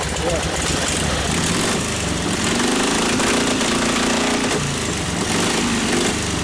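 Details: 1952 Harley 74ci panhead, new top end, rebuilt Linkert carb, hot on full choke, mixture screw about 5 turns out from before: uneven, rough-edged running, revs rising and falling, sounds happier and takes throttle but still starved; lean carburetor needing a bigger jet.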